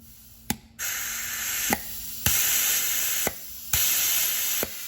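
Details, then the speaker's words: Ford E4OD/4R100 solenoid pack on a bench test, solenoids switched on and off down the line: sharp single clicks about every second, each opening then closing a steady hiss of air; every solenoid seats and unseats cleanly and works normally. "Now, you can hear it clicking also. Also, you can hear all 4 clicking."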